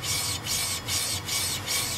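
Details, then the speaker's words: Buick, wheel spun by hand: rhythmic scraping rub about twice a second, heavier at one spot each turn. Owner suspects a warped rotor catching, with pads wearing. The bearing feels good and a brake job is planned for spring. "and then uh I think this uh rotor here is a bit warped too you can hear it getting stuck"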